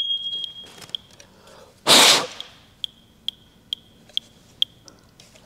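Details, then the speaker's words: First Alert smoke detector powered by a 9V battery beeping shrilly with no smoke present: a steady high beep, then short chirps about twice a second. "That beeping is exactly what it was doing for for Joe. That was driving me crazy."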